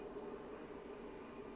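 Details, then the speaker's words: Ford Ka 2011 rear wheel: quiet, steady hum with a rough, gritty edge and harsh vibration; worn rear wheel bearing, not much play but growling, on both rear sides. "Tá roncando esse traseiro, mas não tá com muita folga, mas tá roncando."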